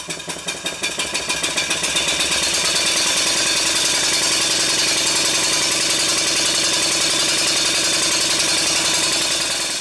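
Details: Stuart 5A model steam engine on a high-speed run: sharp exhaust beats quicken from about three a second into a fast, even buzz and hold steady, running smoothly at speed.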